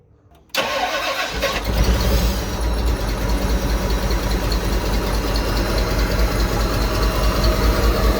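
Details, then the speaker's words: Ford Bronco just after a full engine swap: the engine starts and settles into a steady idle with a thin high whine; the smog pump with open ports is suspected, and a delete is pending. "Hear that thing whining. That's sick. So, we think that is a smog pump because we got the delete for it, but it's not here yet."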